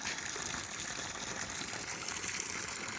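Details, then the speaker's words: 9-year-old 5HP government-scheme solar pump system after Siemens starter/controller replaced with Delta; steady rushing gush from the outlet, continuous flow, about half output under cloudy low light; normal water delivery. "ಬಿಸಿಲು ಸ್ವಲ್ಪ rice ಆಗ್ತಿದ್ದಾಗೇ ನೀರು ಜಾಸ್ತಿ rice ಆಗ್ತಾ ಹೋಗುತ್ತೆ. So ಮೋಡ ಇದ್ರೂ ಇಲ್ಲಿ ನೀರು ಬರುತ್ತೆ ಇದರಲ್ಲಿ, ನೋಡ್ಬೋದು. ಮೇಲ್ಗಡೆ ಮೋಡ ಇದೆ. ಆದ್ರೂ ಇಷ್ಟು ನೀರು ಬರ್ತಾಯಿದೆ, ಆಲ್ಮೋಸ್ಟ್ ಅರ್ಧ ನೀರು ಬರ್ತಾಯಿದೆ."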